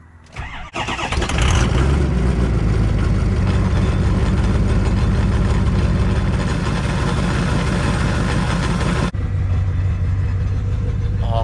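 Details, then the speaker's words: Ford 6.0 Power Stroke diesel truck, cold start on the old turbocharger before a KC Turbos upgrade: brief crank, catches and settles into loud even diesel clatter with steady low rumble; normal cold start. "e gonna go ahead and do a cold start right now so you can hear a cold start on the old system, or the old turbocharger, and then we're gonna let it sit for a little bit and we're gonna get a cold start on the new turbo."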